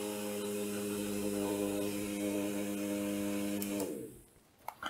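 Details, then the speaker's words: Supplied 6V DC motor on bench power supply for Arduino load-switching test: steady even hum and smooth whir for about four seconds, then spins down; motor working normally. "the dc motor is working"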